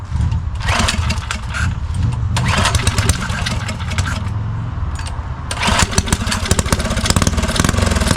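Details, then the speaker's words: Neglected custom Motovox mini bike with added electric start, carburetor cleared of old gas: small single cranks, fires and catches, then revs up and down unevenly before running. Starts properly now. "Oh yeah, that's all it was, gang. Try to get her to stay idle."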